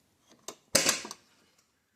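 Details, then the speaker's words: 1989 Ford Mustang door opening with a sharp, high-pitched metallic pop and ticks because the striker has lost its nylon bushing; before repair, which replaces the bushing with 100 PSI PEX tubing pressed on in a vise. "real high pitched there's the strike without its OA on there without its bushing so it's a lot smaller"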